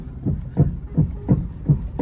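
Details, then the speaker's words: Hyundai HB20 steering: dull low knocks about three a second as the wheel is rocked, from a worn steering rack bushing; rack to be reconditioned. "vendo o barulho que faz isso aqui é o barulho da caixa e direção a gente vai lá recondicionar eu vou mostrar para vocês fica um barulho insuportável"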